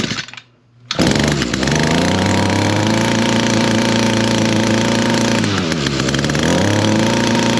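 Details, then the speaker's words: Echo PAS225 two-stroke trimmer started cold after three primer pumps, on choke then half choke: it catches and holds a steady moderate buzz that sags instead of climbing. It starts and runs but will not reach full throttle. "Uh says it starts, runs good except for it doesn't idle up."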